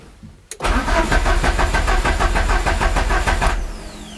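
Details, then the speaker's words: Peugeot 205 CTI cranking with the injectors pulled out to check for delivery: the starter churns steadily and the engine never fires. No fuel comes out at all, and the owner then suspects the tank has run dry. "ben je crois que le verdict est sans appel il n'y a pas du tout des sens qui arrive"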